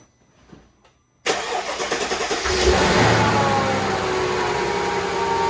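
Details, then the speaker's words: 2004 Mercedes-Benz G500 W463 V8 just after new valve cover gaskets, spark plugs and plug wires: cranks and catches, then a slightly lumpy uneven idle; misfire from a spark plug wire seen arcing, to be reseated. "you guys see that sparking probably not good there was some sparking going on so I'm going to pull it and reinstall it and hope that that solves our problem"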